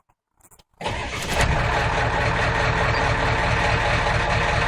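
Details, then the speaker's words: 1991 Ford F350 7.3 IDI diesel cold start after sitting overnight, treated with injector cleaner; brief crank, then a steady, even clatter at throttle-raised high idle: normal cold start and high idle. "at P I pushed the throttle a little bit there so I could go into its high idle but it's running really good don't know how my phone's going to deal with that noise but running really great"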